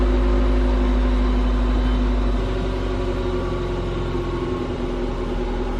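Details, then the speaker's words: 1997 Honda Prelude BB6 H22A, M2B4 transmission, after new distributor cured crank-no-start: steady, even idle with smooth regular rhythm, no misses, knocks or rattles; engine sounds healthy. "all right so there we have it we have success the car turned on beautifully it's running really nicely now"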